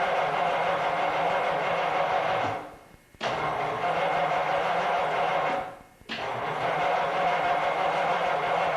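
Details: 1950 Cadillac on a hot August day after a grocery trip: steady starter cranking with two short pauses, engine never catches; cranks but will not start, flooding or vapor lock suspected, not confirmed.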